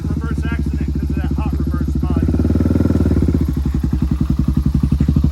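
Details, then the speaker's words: Honda ATC build with a 350X frame and a 400EX big-bore engine (440EX), electric start: the single thumps evenly and picks up cleanly on short throttle blips, no knocks or misfires. It sounds good and runs healthy. "Sounds good. Little throttle up."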